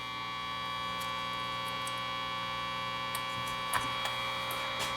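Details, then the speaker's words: Marconi 238 vintage tube radio with the known-bad 6BA6 IF tube reinstalled: only a steady low mains hum with faint crackle and no programme getting through, weak output from the faulty IF tube. "So I changed the BA6. The old one is, where's the old one? It's over here somewhere. Don't want to get it mixed up with the good ones. So I just put in the bad 6BA6 tube again."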